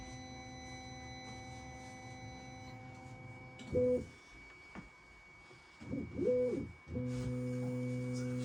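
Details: Bambu Lab A1 3D printer humming, then stepped melodic tonal beeps and a long sustained tone; owner reports two long beeps at print start, cause unknown.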